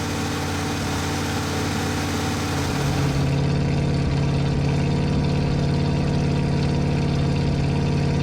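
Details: Ford 460 big block with dual exhaust in a 1980 F-350 service truck, first run and break-in, carburetor not dialed in (owner suspects carburetor gasket leak): deep, steady V8 burble, firm low pulse, no misses or knocks; idling smoothly.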